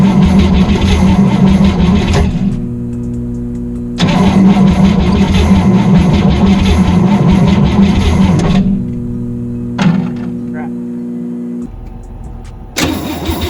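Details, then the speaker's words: 1962 Cadillac hearse, junkyard engine after distributor taken apart: steady starter churn in long bursts at about 160 beats a minute, never fires; crank no start, still no spark reaching the plugs. "uh like she sounds better but it's still not sending any damn spark down the line"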